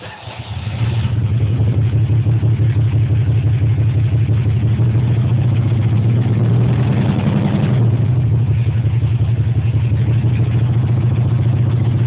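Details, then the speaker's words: Jaguar XJS V12 after sitting about a year and a half: lumpy, stumbling idle with no smoothness; running on only four of twelve cylinders due to bad injector wiring harness. "okay so that sounded terrible and the reason it sounds like that is because it's a 12 cylinder running on four"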